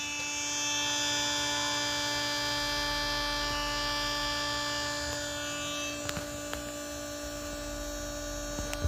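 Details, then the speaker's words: Ice maker restarted after disassembly, in clean cycle with the auger motor called on. A steady electric hum at a fixed tone: the motor spins but the auger doesn't move because the gears are jammed, with gear teeth apparently burned loose. "motor spinning now but there is no movement on our augur because the gears are jammed up"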